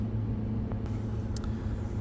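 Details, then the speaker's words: Deep well pump starting after scraping ant debris off the contactor contacts that had blocked power: faint click then steady low hum holding; pump runs smoothly, fault was the dirty contactor, not pump or capacitors. "And I just flipped the power back on, the contact pulled in, and you can hear the well kick on."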